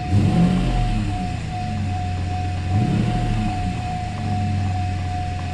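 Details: Mercedes SL600 cold engine after throttle body and Egas repair, exhaust leaking: revs pick up cleanly as throttle opens, smooth deep rise with no stumble or hesitation; acceleration fine, healthy.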